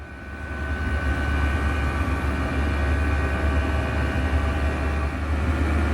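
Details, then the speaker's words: Chinese diesel heater start-up: fuel pump ticking, then just under four minutes in the glow plug switches off and the fans accelerate in a smooth rising hum as the heater heats, current building to about 4 amps; normal run-up. "now just under four minutes in we can see that the globe hugs switch off and that power consumption drops down to about an hour as the fans accelerate as the heater gets hotter you can see that the amps build back up to around four amps"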